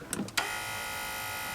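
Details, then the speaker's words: Mercedes G500 (W463) steering column motor: click then a steady high whir with no movement; motor spins freely because the plastic tilt coupling is broken, so the wheel won't tilt. "press the motor spins you see motor is running so what happens is that the plastic piece is the coupling is a broken see that it's a spinning it's a broken that allows the steering wheel to tilt"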